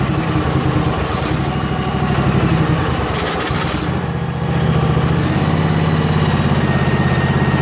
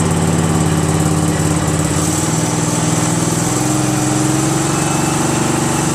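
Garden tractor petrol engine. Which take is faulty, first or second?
second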